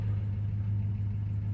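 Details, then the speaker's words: 1969 Dodge Dart GT V8 after nearly 12 years sitting, new carburetor fitted, idling in neutral in about 105°F heat: deep, steady even rumble with no misses or ticks; exhaust note sounds good, manifold not smoking, battery charging. "That exhaust note sounds pretty good. So far, the manifold's not smoking, so that's good."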